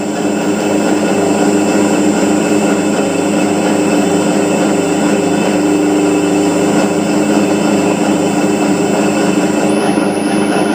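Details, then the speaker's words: Motor driven by an INVT CHF100A VFD with carrier frequency (P0.14) raised from 1 toward 8 and higher: a steady, smooth hum with only a faint very high tone left, the carrier whine gone. "ये देखें अब मोटर की आवाज़ बिल्कुल भी मोटर की फ्रीक्वेंसी की आवाज़ नहीं है।"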